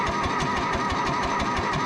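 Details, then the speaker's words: John Deere 1010 track loader diesel just after an injection pump rebuild, with bleed petcocks open. Steady quick starter chug of about six beats a second with no firing; long cranking, suspected air in the fuel system. "I have to admit I was a little worried at first it took quite a bit of cranking to get this thing pumping fuel I think it was just full of air and possibly air locked for a little while but it did start"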